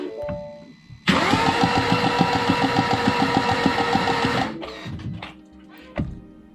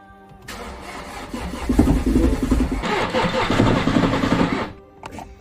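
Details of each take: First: Mini John Cooper Works auction non-runner after new starter and extra earth, plugs out: starter spins engine with even quick pulses, about three per second for three seconds; spins freely, not seized. Normal cranking, engine not seized. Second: Mini John Cooper Works bought as auction non-runner, new starter fitted, plugs in: starter churns about four seconds with rhythmic chugging but engine never catches; crank-no-start.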